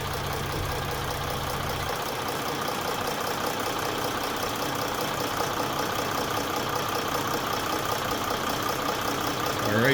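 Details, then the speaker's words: Mercedes OM642 diesel in Jeep WK Grand Cherokee CRD after timing chain tensioner replacement, cold start after 15-20 minutes sitting: settles into smooth, even idle without startup rattle; sounds perfect. "sounds perfect"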